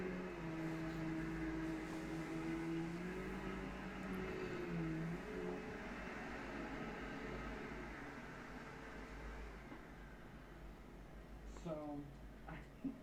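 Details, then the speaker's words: Brand-new Bissell Powerglide Platinum vacuum running: a steady, even whir with constant pitch and no rattles, squeals or knocking; it runs perfectly. "So yeah, it's a brand new Powerglide Platinum, and I'm very, very happy to have it. It runs perfectly."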